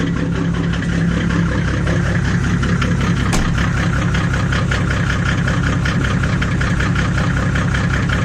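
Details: Mercedes W124 with an OM606 diesel and a straight-pipe exhaust, recorded in a tight yard. Loud cold idle with a sharp, fairly even puffing tick about 160 a minute: an exhaust leak from a cracked turbo exhaust manifold pipe.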